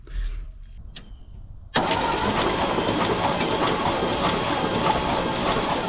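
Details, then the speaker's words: 1970s Chevrolet C-10 Custom truck sat 30 years, cranking on starter: spins steadily about three turns a second but never fires; no spark seen, points corroded, to be cleaned. "Well, I didn't see any spark, so let's get these points cleaned."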